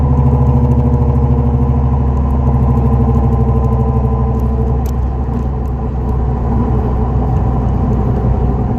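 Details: 2004 Dodge Neon SRT4 while driving: steady low droning hum under the road noise that holds through the drive, attributed to a bad wheel bearing.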